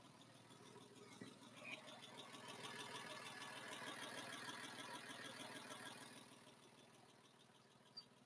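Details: Porsche 997 after a complete engine rebuild, idling just after a 30-second 4,000 rpm hold: quiet, even idle pulsing about three beats a second, no knocks or ticks; sounds healthy.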